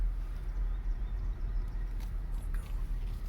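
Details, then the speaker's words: 2009 Chevrolet Impala road test after replacing two wheel hubs and a drive axle: only low, even road rumble, no more grinding from the wheel bearings. "no it is silent it is silent yeah baby listen to that no more noise"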